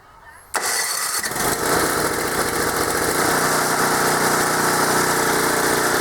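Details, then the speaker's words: Small engine equipment in Maine, sat unused all summer, started on choke: catches first pull and settles into a quick, even buzz with no stumbling; runs like a top, no issues. "yeah I don't see any issues with that things run like a top"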